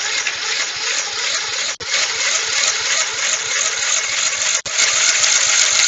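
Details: Old Snapper mower, 12.5 hp Briggs & Stratton single, after sitting for years: harsh, raspy bark with sharp dropouts as it fires and runs briefly, ragged.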